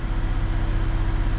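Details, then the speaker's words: Vauxhall Insignia after temperature sensor repair, new rocker cover gasket and plugs, cold engine with gauge at 50 degrees: steady even engine hum with faint constant low tone, no knocks or misses; smooth idle, repair successful. "the engine runs a whole lot better we're really good really good that is red success"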